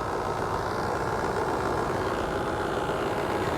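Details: Outdoor AC condenser unit, customer complaint not cooling and loud noise, restarted after checking capacitor terminals; condenser coil very dirty: steady rushing fan noise over low compressor hum, no clicking or buzzing; running normally.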